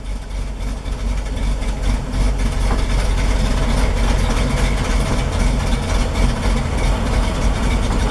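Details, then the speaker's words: 1973 Toyota Land Cruiser FJ40, cold start with the choke fully out: low, uneven idle that sputters, stumbles and hunts, slowly smoothing as the choke is pushed in; normal rough cold idle before warming. "you can hear how it's sputtering on itself once it fires up you slowly want to push this in until it Smooths out"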